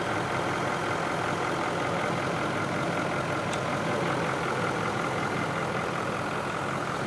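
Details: Ford F250 6.7L diesel after DEF fluid was accidentally put in the fuel tank and the engine was run; after repair it restarts and idles with a steady, even clatter, no misses or knocks, sounding healthy.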